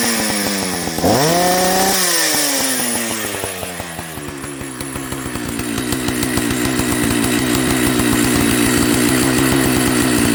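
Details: Old Jonsered 930 project chainsaw restarted at high idle: it blips up, sags briefly, then settles into an even, steady run with no misfire. The owner suspects a spark plug issue, and the bearing underneath is dry.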